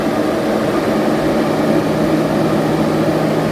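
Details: 15-inch Silverado PWM radiator fan in a BurnDown/Warr Performance shroud at 80% duty cycle: steady, even whoosh with a low hum, no ticking or rubbing; normal running, about 750–900 CFM at the outer edges of the radiator.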